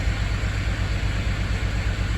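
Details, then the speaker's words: 2006 GMC Envoy throwing codes, after cam actuator replacement and code clearing: low RPM, uneven lumpy idle rumble; still idling rough, poor throttle response, shoddy coil packs on cylinders 5 and 6; crank sensor replacement planned, cause unconfirmed. "I don't really have one of them fancy scanners but our RPM's pretty low and I don't know if you can hear it or not but it's just idling rough"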